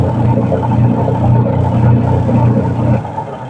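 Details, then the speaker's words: Washing machine after replacing the faulty timer: steady low motor hum with a loose churning rhythm, easing off as the drum reverses direction; timer and wash agitation working normally. "Gamitin natin Ong long Yun oh gumana mga boss yan pag ginto yan pabaligtad naman ikot yan yan ibig sabihin Okay na itong timer pipitik siya oh o kabila na naman siya ikot ' ba napakagaling"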